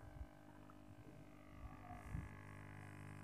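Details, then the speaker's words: Active speaker amplifier with a Bluetooth MP3 module added: steady low hum, not very loud, because the MP3 module shares the amplifier's power supply; fix is a separate regulated supply for the MP3. "dan setelah disambungkan ada suara sedikit ya gangguan suaranya seperti berdengung tapi tidak terlalu besar"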